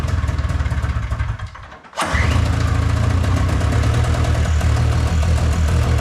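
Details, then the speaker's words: Old small pull-start engine being repaired, after a spark-plug spark check: it runs rough, fades and dies at about two seconds, then catches again with an uneven, lumpy idle and won't stay running; starts then stalls. Fuel filter checked next. "[Applause] oh then it died can I try staring it"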